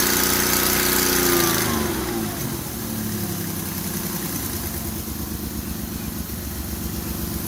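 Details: Ford Escape (2001/2002) after spark plug hole thread repair: catches, revs briefly, then settles to a smooth even idle with no puffing or ticking; the plug no longer blows, not blow-by. Normal idle.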